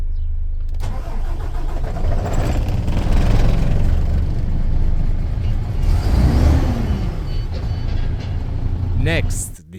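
Deep, steady diesel rumble picks up and settles into an even run; the truck engine starts and runs normally.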